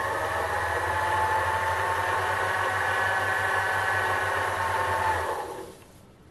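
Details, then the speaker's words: Sherline metal lathe running after its resonating wooden base was raised on rubber feet: smooth even mid-pitched hum with no rattle or drone, winding down cleanly; much quieter, normal running. "once you lift it up a little bit it makes a huge difference Qui it down quite a lot in fact to a level where is basically solve the problem so I'll turn it on you can hear it that's not too bad"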